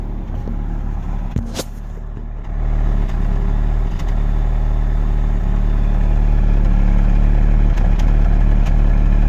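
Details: VW Golf 6 TSI idling: low uneven thrum with irregular stumbles and brief clatter near start, car shakes badly; owner suspects exhaust misfire, cause unconfirmed.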